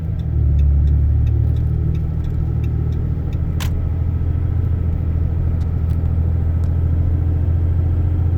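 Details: In-cab, windows up, AC on, 70 °F: 2012 Dodge Ram 6.7 L Cummins diesel, deleted (no muffler, DPF or cat, EGR delete), undumped 4-inch turboback, H&S Mini Max stock tune, cruise 60–62 mph: steady soft low rumble, no drone, sounds stock.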